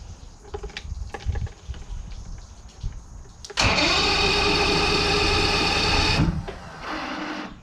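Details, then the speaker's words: 1985 Mercury outboard on a boat, first cold start after winter storage and a carburettor rebuild; after a quiet spell it fires abruptly, buzzes unevenly about three seconds then drops off, rough reluctant cold start, considered common for these when cold. "I think that's pretty common in these when they're cold."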